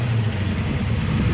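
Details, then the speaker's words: Engine with a Holley carb: after more initial timing is added, a deep idle with an uneven, shaky pulse, so the idle mixture screws need readdressing because curb idle changes alter fueling through the transfer slot. Rough idle from mixture screws out of adjustment. "you can tell our engine is kind of shaking around again so we need to readdress our mix screws"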